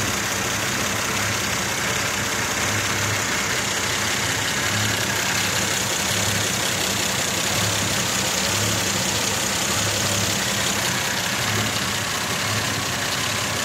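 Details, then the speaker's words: Mazda 626 idling: uneven, loping, pulsing beat with shaky rhythm, vibration felt inside the car; rough idle, cause not yet found. "Here's my idol. You can feel even inside the car, resting my hand on here, it's kind of vibrating."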